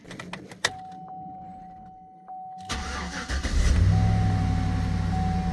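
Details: Chevy 5.3 V8 (Tahoe/Silverado) after replacing a dirty throttle body that caused misfire, rough and erratic idle and surging: a few clicks and a steady chime, then the engine cranks, catches and settles into an even idle.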